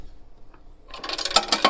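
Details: 1953 Heathkit BR-2 AM broadcast tube receiver shaken before restoration: a burst of bright metallic and glassy rattles and clinks from loose tubes or parts rolling around inside.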